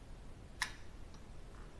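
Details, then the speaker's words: NOEBY JG2500 slow jigging reel gives a single sharp click when the spool is manually re-engaged after free spool, as the pinion gear re-engages. Owner calls this abnormal and blames poor build quality and fitment; cause unconfirmed. "see okay it will make sound it should it's not supposed to be like this but that's how it is"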